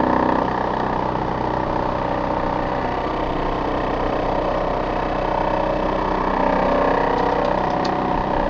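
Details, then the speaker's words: Older Trane XV90 two-stage furnace starting from thermostat call: loud rough steady drone with wavering rumble, no clean hum; failing ECM blower motor. "that's not a happy ecm motor"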